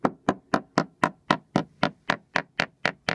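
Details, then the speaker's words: Hammer taps on worn teak decking of a small yacht during survey: sound planks ring solid, then one plank taps dull and hollow, having lost adhesion; probably needs lifting and rebonding to the underlying deck. "And as we move forward, you can see that this plank here has lost slight underlying adhesion. And consequently, this plank here will probably need to be lifted and rebonded to the underlying deck."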